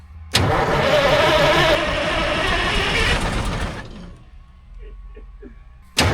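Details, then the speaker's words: 1972 Diamond REO C116 truck, 8V71 diesel sitting about 20 years: spins over briskly for a few seconds but never catches, then dies away; fuel prime suspected lost. Cranking no start. "Uh, we might not have fuel prime."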